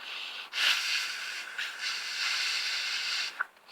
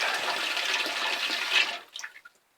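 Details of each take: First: Attic water tank ball cock float valve, before repair, valve closed: steady airy hiss about three seconds as air gets past a worn, uneven rubber washer; float valve leaking when closed. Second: Ball cock float valve in a loft water tank, after repair: hissing fill flow runs steadily, then cuts off cleanly within a second as the tank fills, leaving silence; float valve shuts off properly with no leak.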